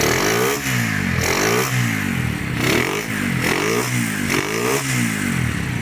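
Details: Restored Honda GL100 (GLK, CDI) single-cylinder engine with a new cam chain tensioner: it revs up and drops back in even blips about once a second, pulling cleanly with no knocks; healthy.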